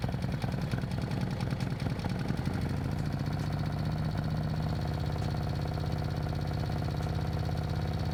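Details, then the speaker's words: Harley-Davidson M8 with S&S 124 kit, first cold fire-up: loud, lumpy V-twin idle with fast metallic lifter tick and rocker chatter until the lifters build pressure, then quieter and quieter through the heat cycle. "so basically it'll be noisy the lifters are gonna build pressure up so i'm gonna let it sit for now heat cycle and then it eventually gets quieter and quieter and quieter because the lifters build pressure then you don't get that the rocker chatter"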